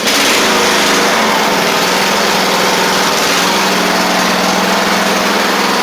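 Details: Craftsman riding mower after repairs for a bad-ground starting click and a broken deck spindle: small engine runs loud and even at a steady speed with no misses or knocks; running normally.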